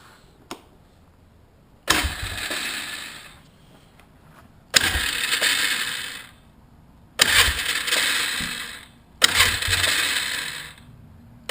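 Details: 1998 Polaris Scrambler 500 H.O. starting: four harsh grinding bursts with ringing tails; starter Bendix reportedly hits the flywheel and doesn't retract; owner suspects dirty or rusty starter solenoid.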